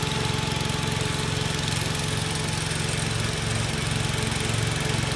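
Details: Commercial mower with 12 deck, Swift-O-Matic lever held by vise grips, rusted deck with holes: steady engine with regular throb about 2.5 per second; deck vibrates heavily, owner unsure if related to a possibly bent part.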